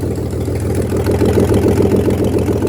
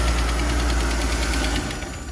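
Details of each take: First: Inboard/outboard boat engine, primed, started with no exhaust manifold fitted (timing uncertain): catches and settles into a fast, even, very loud open-port crackle at idle, normal running without exhaust manifold. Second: Shop car run after motor mount check: steady light ticking over a rough idle, then the engine sags and stalls; engine tick with stalling, possibly purge valve pulling in fuel vapour.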